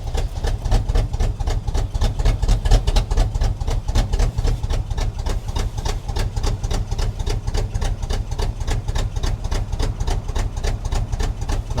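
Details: 1976 Chevrolet K20 3/4-ton 4x4 farm/plow truck, sat for years, just started cold: lumpy shaking idle with heavy uneven thumps about four a second, cylinders dropping out; misfire from faulty carburetor, owner also suspects plugs and a vacuum leak.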